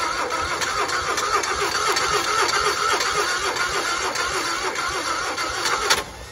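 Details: 1960 Onan industrial engine for a homemade Model T replica, first start in many years; fuel pump vacuum shutoff lever propped open. Even cranking about four turns a second with steady whine, never catches; fuel just starting to come up, float bowl possibly filling.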